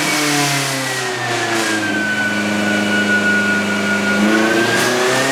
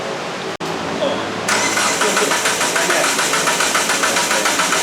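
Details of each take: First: Turbo Sonata on an eBay turbo, on the dyno after new plugs with a smaller gap: strong, clean engine note climbs and drops with revs, no misses, pulling smoothly under load. Runs out of fuel at 4,000; injectors suspected too small. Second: Turbo Sonata on an eBay turbo, at the dyno shop: starter cranks steadily about three and a half turns per second but never fires. Suspected: the zip-tied rubber hose on top of the newly installed fuel pump came off, cutting fuel.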